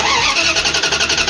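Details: 1994–2001 Dodge Ram 1500 with 5.2/5.9 Magnum V8, cranking with a test light hooked up: the starter turns the engine at about seven beats a second but it never fires; no spark, traced to a cracked coil wire.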